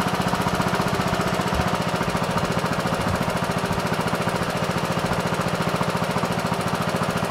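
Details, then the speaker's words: MTD Yard Machines lawn tractor, 20HP Briggs Intek, after fitting third replacement carburetor (original Nikki) that cured earlier surging: steady, even chug holding constant idle with no hunting; normal running, no adjustment needed. "That sounds great. Sounds wonderful. See what a difference a carburetor makes, man."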